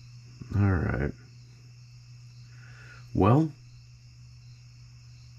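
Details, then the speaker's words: Newly built Cison L4-175 flathead four-cylinder on an oak base, first start attempt with main jet closed: two half-second cranking bursts, starter spins but engine never fires. "not done yet we're gonna keep working on this because oh hell i've got a lot of time in this but we'll get it to run"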